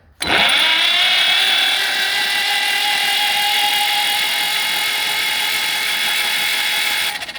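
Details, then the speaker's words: Long-sitting John Deere B tractor cranking with spark plugs out, Marvel Mystery Oil in cylinders: high steady starter whirr about seven seconds, engine not catching; slow cranking from rusty bad connection, nut glowing hot. "Um, that just means we have a bad connection there. It's all rusty and stuff like that."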